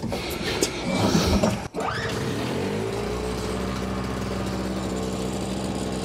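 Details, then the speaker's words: Simplicity 520 single-stage snowblower (5 hp, 20 in), second start on choke after the recoil rope repair: engine catches and settles into a steady drone that slows down when the auger drive is loaded; owner suspects the carburetor. "seems like maybe we got to go in the carburetor a little bit cuz you put a load on it and it just slows down"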